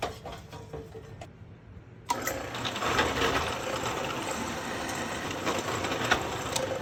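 A small motor whirs up after a quiet start and settles into a steady, even buzzing run with no grinding or knocking.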